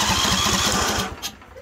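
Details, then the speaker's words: John Deere D130 mower during ignition coil replacement: ragged, uneven firing for about a second before dying; one cylinder dead because its ignition coil is shorting out. "this one is good but the other one is not"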